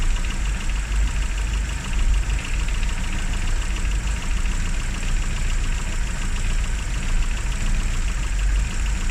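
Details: Classic Rover Mini (Riley Elf), points ignition, running after about three months unused and a hard cold start: deep steady idle, even low rumble, no misses or knocks. Normal idle; run at least 30 minutes after a lay-up.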